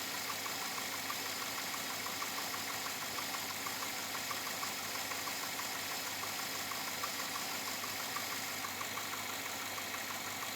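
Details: 2007 Chevrolet Avalanche V8 at about 86,000 miles, steady idle with a light, fairly regular tapping around two per second; owner asks whether it is knock or piston slap, unresolved after four dealer visits.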